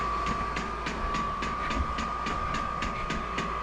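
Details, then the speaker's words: Vevor diesel heater installed in a container shop, fuel line still being purged and tank possibly needing pressurizing: steady blower hum with crisp regular fuel-pump clicks about three a second, the heater ramping up through a normal start-up cycle. "I'm hoping it doesn't that thing's ramping up. I'm hoping it doesn't air out before it actually gets fluid in there. I might have to pressurize that tank a little bit. Maybe I'll just I can't even get my mouth around that to pressurize it. Sounds like the Cummins spooling up the diesel."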